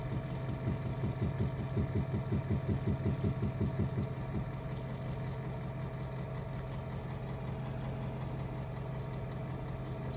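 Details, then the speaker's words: 2010 Ford F-250 6.4 Power Stroke diesel, hot at idle: intermittent compression-type knock heard at the intake air filter, passenger side, steady for a few seconds then fading; compression escaping through intake side. "no se escucha muy fuerte pero hay veces que sí se escucha el golpeteo bastante fuerte y ahorita se puede escuchar y el golpe se viene a escuchar aquí en el filtro de admisión"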